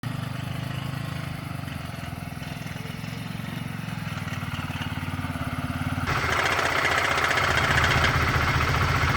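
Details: 2004 Honda CBR125R with 14,000 km at idle: a fast, tinny metallic knock over the exhaust note that comes and goes. It appeared suddenly and seems to come through the muffler but near the engine; cause unknown.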